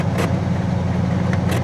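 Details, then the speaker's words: 1979 Cadillac Coupe DeVille, 7.0 L 425 cu in V8, about 68,000 miles, parked 27 years, idling in neutral after revival. Runs fine but idles poorly: deep, uneven lope with stumbles, and it later dies. Rough idle, cause not found. "It's running great. Still idles like crap."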